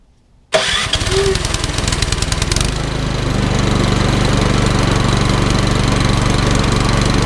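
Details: Troy-Bilt Storm 2410 snowblower with Power More engine, after carburetor service for stale-gas fouling and idle screw adjustment: starts quickly and settles into a steady, even run with smooth low beat, no misses or hunting; healthy.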